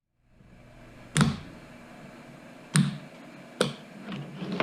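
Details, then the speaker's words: DIY ventilator (Ave Maria V5) bench test before air supply is connected: sharp single relay clicks, one second on, two seconds off, with valve cycling in a quiet room; normal relay and valve cycling. "you can hear the relays clicking one second on two seconds off"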